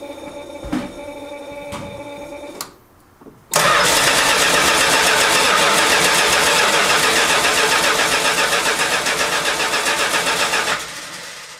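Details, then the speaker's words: 1971 Chrysler New Yorker after fuel tank, sender, pump and AVS 2 carburetor replacement, first start after 5 months stored: starter cranks evenly about four turns per second for seven seconds without catching; carburetor fuel bowl dry. "oh no she dries a bone okay i must fill up the fuel bowl"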